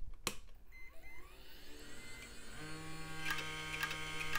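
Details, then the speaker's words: Gateway desktop power supply, opened for inspection (caps and Celastic look fine), powered on: fan spins up to a rising whine with rough buzz and repeated ticks; power supply fan bearing noise, fan to be fixed. "that doesn't sound good. That is definitely that fan. I'm definitely gonna have to look at that."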